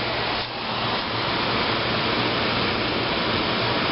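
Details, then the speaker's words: 1995 Fedders window air conditioner, fan only on low speed, heard from outside: even airy whoosh with soft low hum underneath, no rattles or scraping; normal fan operation. "the fan yeah and again the fan only pretty quiet"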